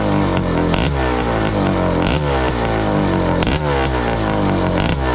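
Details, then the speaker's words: Honda CR500 two-stroke Schwinn trike, stinger exhaust, after jetting down: sharp, buzzy, crisp, crackly revving blips; owner says it sounded a little lean, still fine-tuning, plans air screw adjustment, exhaust needs resealing. "Well, you can see I still got some fine tuning to go. So, now that sounded a little lean."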